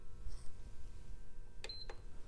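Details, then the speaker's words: PS5 sold as dead: one short high beep at power-on, no light, never starts up; dead HDMI encoder suspected, not confirmed. "beep no light okay that sounds familiar is that a dead HDMI encoder not sure but that is not what I would call A no power"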